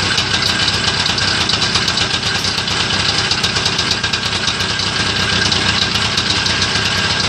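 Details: Homemade Muravey tricycle, first start after repair: busy, high-pitched two-stroke idle with a steady crackly buzz and no obvious knock, running evenly; normal idle.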